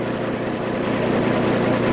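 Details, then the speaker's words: Kubota ZD28 diesel mower with starting-relay fault, suspected bad key switch: engine keeps running with steady, even diesel chatter and won't shut off from the switch; red mechanical stop lever needed. "dude machines turned off when it's running now so we got to turn it on"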